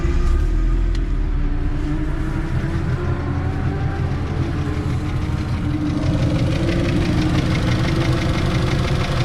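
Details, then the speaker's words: NC Miata with Racing Beat header, idling: low uneven clatter of two to three knocks a second over smooth idle, like heavy valvetrain noise; owner suspects intake swirl flaps, not confirmed. "So, it almost sounds like some heavy heavy valve train noise, but I think it's just the intake."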